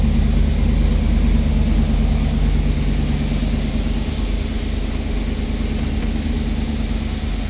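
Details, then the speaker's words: 1991 GM (Pontiac Firebird) with 60,000 original miles and a 100% stock quiet exhaust, cold start: deep, even rumble with a steady low beat, a brief throttle blip, then a smooth, settled idle with no knocks; running as it should. "We'll go ahead and fire it. Up and running as it should."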